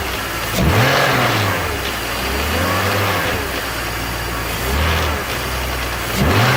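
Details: BMW E46 330Ci M54 petrol six idling and blipped three times, with a busy metallic rattle that grew much louder after a VANOS seal rebuild (rubber and Teflon piston rings). Cause unknown.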